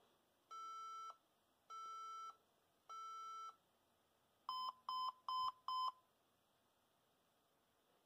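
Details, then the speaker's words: HP ProDesk 400 G3 Mini with non-T i5-6500 CPU, now on 90 W 19.5 V supply: same repeating three long, four short POST beep code; fan runs; likely non-T CPU unsupported. "one 2 3 one oh same one interesting well I guess it just not going to work"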